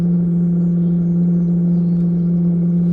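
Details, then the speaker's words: Chinese diesel heater with a 7 m, 38 mm sand-battery exhaust, starting up: a loud steady roar with a strong low hum; lighting normally, and it quietens once up to temperature. "here the big [Music] boy if you can hear that but once it gets up to temperature it quietens down a"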